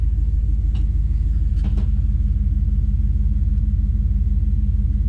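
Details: Trackhawk SUV small-block V8 after tune-up and service, cold, after throttle-body cleaning, firing order confirmed right: deep steady idle, even low pulse about three beats a second, no misfire or knock; better oil pressure than before. Normal idle.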